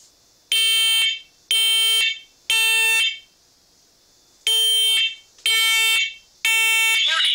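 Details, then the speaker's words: Brand-new First Alert smoke and carbon monoxide alarm just installed, test button held; loud piercing beeps in bursts of three with short pauses: normal smoke alarm test. "so hold down the test button here we go okay so we're going to backhoe because it's loud"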